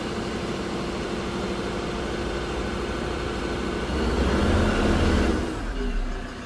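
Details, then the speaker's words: 2013 Ford Ranger 3.2 L five-cylinder diesel, after a crank-no-start fix with injector code P062D: engine runs steadily, then a short smooth throttle blip to clear smoke from fuel in the cylinders, easing back with no misfire or knock. "I'm just going to accelerate a little bit get all that smoke out."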